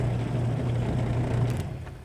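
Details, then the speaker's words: Washing machine that was noisy and could be stopped by hand while spinning, after repair: smooth low even hum while spinning then winding down, no rumble or grinding, no longer stoppable; normal spin. "Ayan na mga guys Oh so wala na siyang ingay mga guys pa pipigilan din"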